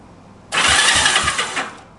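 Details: 1965 Honda CB77 Super Hawk sitting 20 years, electric start reportedly faulty 20 years ago: short burst of steady, even cranking just over a second, turning freely with no grinding or clunks; starter works.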